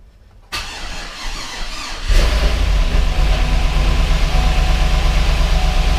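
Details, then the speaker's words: GMC Yukon Denali 6.2L LS (DOD) first start after reassembly with fresh oil and coolant: oil pressure present, but a busy idle with fast steady ticking, so it was shut off; owner suspects hydraulic lifters not yet filled with oil; lifter tick. "I shut it off because it didn't sound great quite sure what's going on we had oil pressure now whether the lifters just don't have enough oil in them yet because the hydraulic it was who's making some noise"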